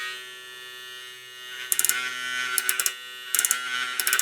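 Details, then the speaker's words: Hair clipper fitted with new zircon blade: steady motor buzz, then short clusters of sharp high chattering about once a second as the lever moves; intermittent rattle, owner suspects blade touching bottom of the carriage. "Când maneta se mișcă, face un zgomot diferit. Bine, înțeleg. E pentru că lama pare să atingă partea inferioară a căruciorului. Cred că asta ar putea fi cauza sunetului ăla."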